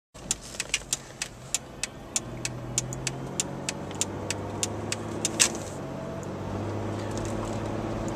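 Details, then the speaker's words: 1998 Chevrolet Malibu after replacing two wheel bearings, on the road: indicator ticks, then a smooth low road rumble with no hum or growl building with speed. It sounds much better and the repair is judged successful. "Sounds much better. More humming. Call that a fix and a job well done."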